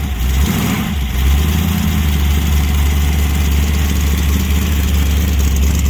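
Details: 1966 Dart 273 big-cam V8, revived after years sitting: steady deep even V8 rumble at idle, no knocks or misses, healthy start settling smooth; over 50 psi oil pressure at 1000 rpm.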